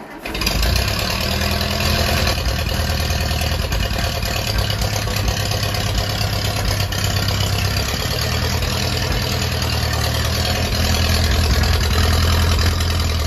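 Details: Ferguson T20 barn-find tractor first taken out after 38 years standing, some small leaks remaining; catches quickly and settles into a steady deep even chug, no knocking or misfire; normal running.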